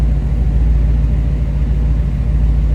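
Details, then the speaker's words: 1934 Ford Deluxe 3-window coupe street rod, fuel-injected 327 V8, after cold start, heard at tailpipes: deep, steady burbling, lumpy but even idle, no knocks or misses; healthy engine. "Like I said, nice sounding car. Fuel injected, 327."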